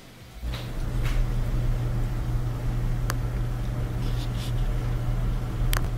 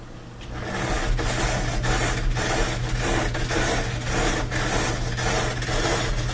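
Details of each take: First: Bosch dryer back to normal running after a small Phillips-head screw caught between the tumbler and the front bearing, which caused a metal rubbing noise, was removed: an even low drum rumble with a steady hum, a couple of faint clicks and no scraping. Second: Bosch dryer tumbling: steady low hum with an uneven rasping metal scrape about twice a second; an object was caught between the drum and front bearing.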